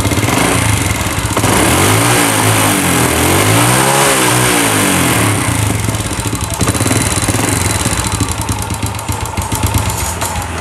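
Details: Old Honda Legenda motorcycle that smokes and fouls plugs quickly, test run: engine runs loud and uneven, rising and falling with a ragged, stumbling beat. Owner suspects worn piston rings or valve seals. Cause not confirmed.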